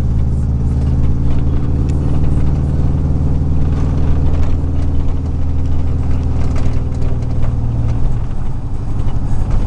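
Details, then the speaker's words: 2000 Chevy 4.8 V8 truck with four coils deliberately unplugged as an experiment, running on four cylinders; deep, lumpy, uneven rumble instead of a smooth V8 burble, shaking through the revs. "Truck sound a little bit different today. Don't know what it could be. Sounds like four of my cylinders quit working."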